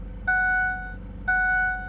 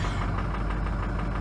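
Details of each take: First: Ford F350 6.0L Powerstroke diesel, cold start at minus 22 °C, weak batteries, before injector replacement: three warning chimes, then a laboring crank dragging for seconds before the engine stumbles in; hard cold start from worn injectors. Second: Ford F350 6.0L Powerstroke diesel at about -20°C, plugged in overnight, after replacing injectors with Ford reman units to fix hard cold starts and poor idle: fired right up, even clatter about ten crisp ticks a second, smooth healthy cold idle.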